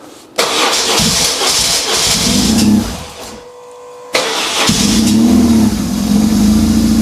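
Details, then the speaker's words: Cold start of a BMW R 1150 GS boxer twin after wiring harness and Hall effect sensor wiring repair plus Motronic reset: catches straight away, dies back, then fires crisply into a steady, slightly fast cold idle; starts cleanly. "naturally it is still cold but that fire is up so nice and that just shows me that it has to have been the motronic if not some of the other connectors"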